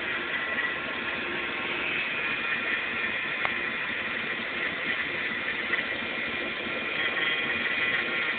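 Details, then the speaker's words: 1993 Dodge Dakota with a 5.2 L Magnum V8, started and heard idling from outside the truck: even, steady idle with no ticks, knocks or misses; runs smooth. "let me start it up for you and there's the glare all right here we go I'll do it from the outside okay this is her just idling"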